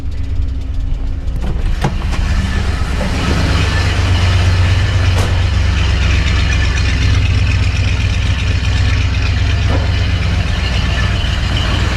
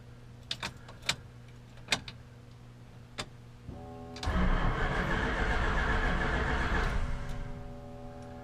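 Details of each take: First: 1966 Chrysler 300 with 383 V8 on a newly installed Holley Sniper EFI, after swapping the reversed fuel pump wires restored fuel pressure: starts right up, then a deep, even V8 idle with a steady beat; runs better than on the old carburetor. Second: 1966 Chrysler 300 with 383 4-barrel V8 on a newly installed Holley Sniper EFI, first start attempt: a few clicks, then about 2.5 s of steady cranking that never fires; no RPM signal, later traced to the wire on the wrong coil side.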